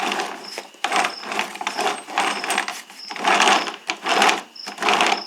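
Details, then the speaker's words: Toro 22-inch Recycler lawnmower, about 2009, after fixing the stripping rear wheel gear with shims: hand-turned wheel gives light, uneven clinks about once a second from a loose washer, no popping or skipping from the gear. "as long as it turns without popping and clicking I'm happy"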